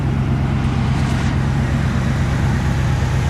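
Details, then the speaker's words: Old truck on its first start-up of the season, with six-month-old gas: idles with a low, uneven puffing rumble, pointing to an exhaust leak; engine running really rough, and the owner suspects possible line icing. "got an exhaust leak as you can hear a little bit of a mess in there"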